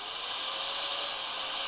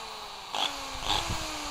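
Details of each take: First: Bosch GBM320 (GBM 320) corded electric drill, old and heavily used, after repair with new carbon brushes fitted, as the worn-out old brushes had been the fault; burning smell gone, slight sparking normal until brushes bed in; steady, even high-pitched whir, normal motor run. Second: Bosch GBM320 electric drill motor hums with a harsh, fizzy crackling hiss, burning smell and visible sparking inside; internal arcing in the motor, before disassembly.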